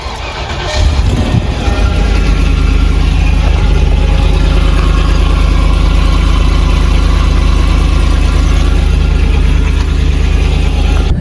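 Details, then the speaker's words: Land Rover Discovery 2 V8 on a cold start with the rear silencer (back box) missing after the exhaust fell off. A deep, booming, uneven idle with a loud low rumble, as with a back box delete. "if you got Discovery 2v and you're thinking of doing a back box delete this is how it sounds let me uh this is a cold start obviously"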